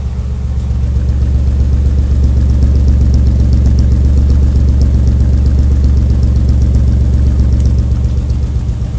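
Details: Nissan 300ZX idling smoothly with no smoke, but a deep V6 exhaust note with uneven popping, a strong exhaust smell and crackling on acceleration. Owner suspects an exhaust leak or bad cats; not confirmed.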